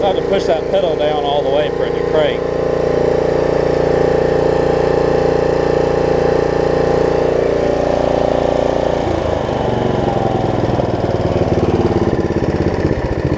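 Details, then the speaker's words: Snapper rear-engine rider with carb just cleaned, deck belt replaced and throttle cable repaired; single-cylinder starts, runs steady and even, shifting cleanly from idle to full throttle; drawing like a dream, running excellent. "i think runs good doesn't it air filter covers a tight bit right there that's idle that's full throttle it's like drawing like a dream it's running excellent"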